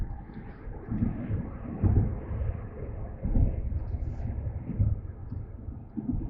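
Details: Mercedes-Benz C300 on a test drive just after front-end work (CV axles, wheel bearings, front brakes), microphone in the back seat: steady road rumble with a dull low thump from the rear every second and a half or so; cause not yet found.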